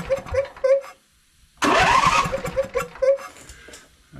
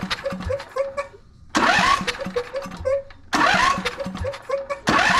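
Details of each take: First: Husqvarna YTH22V46 riding mower after adjusting excessive valve clearance: starter chugs over evenly without hanging up, engine catches and fires; low-speed compression release working, normal cranking and start. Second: Husqvarna YTH22V46 riding mower twin, starter hangs up; with the other cylinder's spark plug removed it cranks freely in quick even bursts, pointing to that cylinder; valve cover to be opened, cause not yet confirmed.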